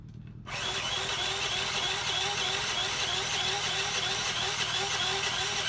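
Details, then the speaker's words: $30 Tao Tao 50 moped: starter spins engine freely but it never fires; spark seen; owner suspects carburetor, not confirmed; cranks but no start. "run it's spinning over freely but it don't like it's popping"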